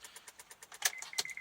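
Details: 2006 Honda Odyssey that won't start despite a fully charged battery: turning the key gives a fast, light ticking buzz, about nine clicks a second, then a steady tone; the battery terminal had separated internally, fixed by a new battery.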